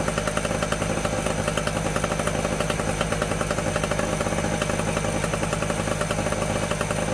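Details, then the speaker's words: Medusa Compact 950 generator two-stroke engine running after a new fuel tap replaced the broken one: fast, crisp, even buzz at steady speed with no hunting or misfires, healthy. "Oh, look at that. Lovely little sounding two-stroke there. Right, so that was a success."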